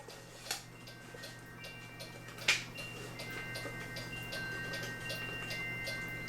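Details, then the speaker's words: Cuckoo clock after repair with gong refitted; steady ticking of the movement with a sharp snapping sound, possibly from the gong screwed in and sitting too far out. "another thing i might have found which is quiet now but this here gong where it screws in right here the gong was sitting clear out here"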